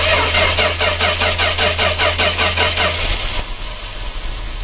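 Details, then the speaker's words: 1966 Dodge A100 van, 225 slant six, after running and abruptly cutting out: starter cranks about 2.5 turns a second with no firing and no spark at the coil. Crank, no start. "I see we're not getting our spark down here again where's the coil again okay we're not getting anything at the coil"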